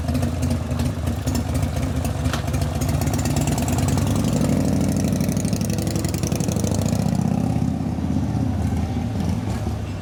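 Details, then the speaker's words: 1988 Harley FXR V-twin after lifter noise repair with cam change and pushrod adjustment: lopes evenly through light blips and settles smoothly, no valve tapping; valvetrain now quiet. "I'm not hearing valve noise that's a good sign [Music] I don't hear no tapping noise"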